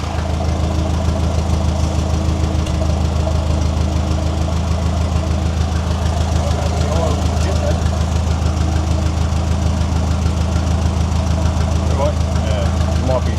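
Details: Ferguson TE20 tractor, once abandoned, idling after restoration with changed oil, new ignition, fuel tank and radiator; fuel now flows freely after bleeding. Steady, even low putter about 200 beats a minute, no misses; normal idle, "she sounds good."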